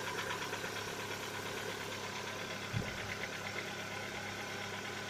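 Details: Lada Vesta, 70,000 km, cold-start idle: a light, fairly quick tapping knock of about two to three a second over the engine hum, lasting one to two minutes. Owner says piston knock, not hydraulic lifters; appeared recently, cause unclear.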